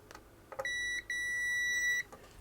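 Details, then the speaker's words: Amiga 500 Plus with battery-leak damage, multimeter continuity check from a Gary chip pin along a board trace: a steady high beep, a brief break, then held for a second; continuity confirmed, so the trace is good. "Okay, and we know that that trace is good, and we can then work through pin 2."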